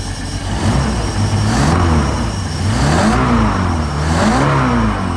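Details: MerCruiser 5.0 marine V8 after carburetor cleaning and reinstall: catches and settles, then revs up smoothly twice with pitch rising and falling cleanly, running evenly with no misses.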